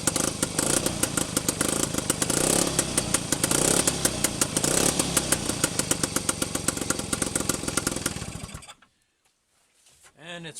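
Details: Rebuilt Penguin two-stroke engine on test run, running in forward and reverse after first firing: crisp, even popping at a steady fast pace with no knocks; generator light goes out once running; healthy.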